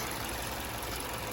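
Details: 2008 Hyundai Elantra after new thermostat housing, thermostat, coolant flush and new belt: smooth, even idle hum with no rattle or tapping; normal idle.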